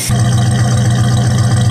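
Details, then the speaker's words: 1969 Dodge Dart with steady fuel flow, warm day, no choke: catches straight away and settles into a steady, even burble with no miss or hunting; clean, healthy idle. "Nice healthy exhaust note there."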